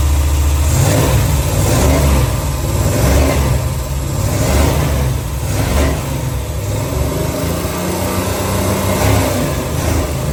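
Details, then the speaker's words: Long-neglected V8 dually truck, bought in 2021, just after a valve adjustment to cure lifter tap: it idles evenly and revs cleanly with a steady deep burble and no top-end ticking, sounding a lot smoother; vacuum leaks were found afterward. "Just enough that we can not hear the lifter tap. Yeah. That sounds nice. Sounds a lot smoother."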